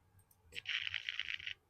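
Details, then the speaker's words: Model railway point: sharp single click of the polarity relay switching as the point is commanded, then a brief bright whirr under a second as the servo throws the point; relay and servo working normally. "Now hopefully you can hear the click and the little noise from the servo. Now that click is the polarity relay switching the moment I tell the point to change."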